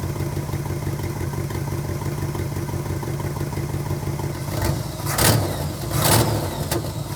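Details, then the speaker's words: 350 small-block Chevy in a 1964 Impala after top-end and oil pan reseal, 34° total timing, leaned idle mixture, choke adjusted: smooth idle around 700 rpm, two clean throttle blips returning to steady idle; healthy. "So the idle's at 700."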